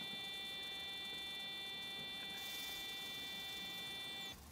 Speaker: you go about 7 8 psi disengages jobs a good'un